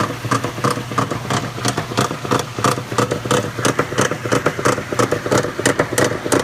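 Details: Maytag Centennial washer, just acquired, makes loud regular clunking about 1.5 times a second while agitating, far above normal; owner suspects a bearing or similar, cause unconfirmed.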